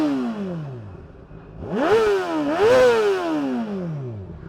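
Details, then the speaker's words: 2010 Honda CBR600RR (PC40) 599cc inline-four, Yoshimura RS5 exhaust with decibel killer fitted: crisp clean blips rising and falling smoothly with a deep even note; healthy free revving. "well it sounds amazing and if i take the db killer out of it it's it's too loud"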